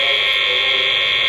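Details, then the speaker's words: Constant high hiss and buzz with no rhythm heard through a noise sniffer plugged into a surge board without claimed filtration, no different from the bare wall socket; mains electrical noise. "but you can really hear the noise that's coming through that at the moment"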